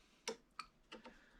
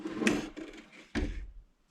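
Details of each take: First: 2014 Nissan Rogue VVT oil solenoid, removed and bench-tested on a jumper pack (engine skipped and sputtered like a misfire): few sharp, uneven clicks with sparking; piston stuck shut, possibly spring fault, solenoid faulty. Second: 2014 Nissan Rogue VVT oil solenoid, removed and bench-tested on power: few crisp, solid clicks about a second apart, each energisation snapping over cleanly; opens and closes freely, working normally.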